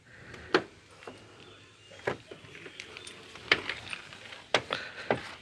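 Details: Car door creaking with short high squeaks and sharp clunks as it swings, about a year after the door check straps were repaired with pieces of rod. The check strap is creaking again, so that repair is not recommended.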